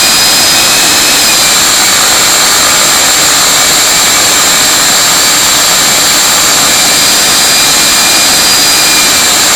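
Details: Viper 11 90 mm EDF on a Starmax 39 mm inrunner after balancing: loud steady high-pitched fan roar with faint fluttering flap, noted 2300–2400 rpm then gone, returning at higher rpm; owner suspects blade design or tips; cause unclear.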